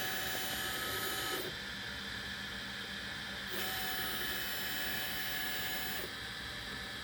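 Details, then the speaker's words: Easythreed K1 3D printer after upgrading the X and Y stepper motors to cure a clicking noise, axes jogged from Cura before homing: smooth, even motor hum in short runs, steady pitch, no clicking or skipping; normal stepper motion. "oh there it went i don't hear any clicking let's try homing it"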